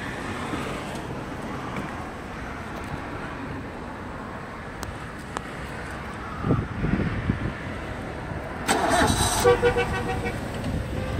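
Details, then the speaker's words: Sumitomo FG15 1.5-ton automatic forklift, 4-cylinder engine, 1500 engine hours: cranks briefly, catches at once and settles into a quiet, steady idle with no knocks or misses; starts easily, healthy. "Запускается легко и без проблем. 1500 мотор-часов у него наработка. Я думаю, что даже вы сейчас не слышите шум двигателя."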